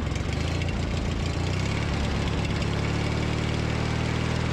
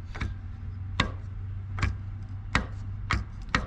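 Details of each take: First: Briggs & Stratton 19.5 hp opposed-twin mower engine after starter replacement, cold start outdoors at 34°F: catches quickly, settles into a steady even low putter with a brief dip; healthy idle. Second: Old starter from a Briggs & Stratton 19.5 hp opposed-twin lawn mower engine, shaft rocked by hand: sharp uneven clacks from worn bearing play that had let the Bendix drive gear move away from the flywheel and shred its teeth.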